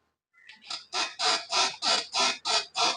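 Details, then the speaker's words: Toyota Innova front suspension, car rocked by hand: sharp rhythmic creak about three per second, also heard when steering and over bumps; dry, worn lower arm ball joint. "ഈ ഒരു shake ചെയ്യുമ്പോൾ കിട്ടുന്ന ഈ ഒരു sound ആണ് ഈ വണ്ടിയുടെ complaint അതായത് ക്രിക്ക് ക്രിക്ക് ക്രിക്ക് എന്നുള്ളത്"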